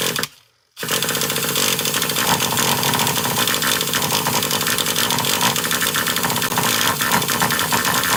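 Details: Traxxas Revo 3.3 nitro RC truck that had been running badly, apparently starved of fuel, with a badly bent exhaust: a sharp, high buzzing note holds strong and steady without cutting out, more fuel flowing and more smoke, now running normally.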